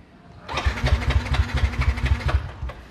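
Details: Yamaha NMAX scooter suddenly won't start: starter churns in quick uneven pulses for about two seconds but engine never fires; fuel pressure checked fine (four bars).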